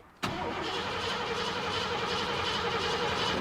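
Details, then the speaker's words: 1986 Ford F-150 5.0 L crank no-start, fuel pressure gauge on rail (spec about 40-50 PSI): starter spins steadily about three seconds with no fire; gauge reads zero, no fuel pressure suspected as cause. "how's the gauge nothing so there is no zero zero no fuel pressure not even a little bit not even a little bit okay so that's probably our problem then no fuel pressure"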